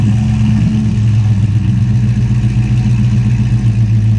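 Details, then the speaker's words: V8 car on a cold start, recorded outside the shop: deep rumble at idle with a slight lope, briefly sounding like a ghost cam; rough idle believed to need a good tune to straighten out. "For a minute there, it'll sound like you got a ghost can. Right? We get it tuned, that'll straighten that out."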